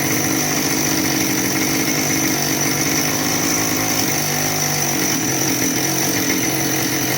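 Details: Husqvarna 572XP AutoTune chainsaw with good compression holding a steady screaming high idle that never settles; suspected crankcase air leak, possibly PTO-side bearing, rather than carburetor; brake-clean test inconclusive, pressure/vacuum test planned.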